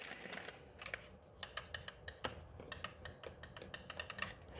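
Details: AK-917/787 RC car spur gear turned by hand against the pinion (32-pitch gears), quiet room: quick, uneven light clicks; spur and pinion mesh set too loose.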